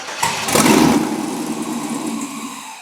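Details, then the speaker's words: 51 or 52 car with an LS swap, built engine guessed at about 400 hp, firing up: short crank, then the V8 catches and settles to a steady, even idle with no knocks or misses. Normal. "Wow does sound good yeah and then he did--he this engines done up he said okay so what do you think what do you figure 400 horse oh that's not bad yeah very cool"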